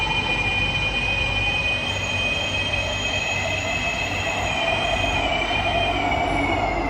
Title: [Loud screeching sound] SMRT C151B (607/608): Bishan - Orchard (➡️Marina South Pier) #c151b #smrt